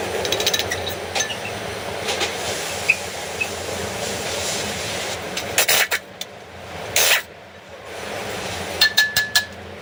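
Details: Renault car front wheel turning: steady scraping rasp with scattered metallic clinks; front brake rubbing noise, later fixed.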